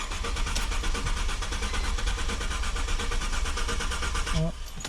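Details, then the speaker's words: Mercedes-Benz C240 W203 (M112), cranks but won't start: starter churns at an even rapid beat and never catches; fuel pump and relay fine, cause a blown ignition coil fuse, number 48. "fuel pump is okay it's basically the ignition coil fuse I checked my fuel pump relay it's working good everything else is working"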